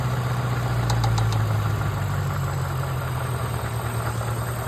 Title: What is that ticking noise ?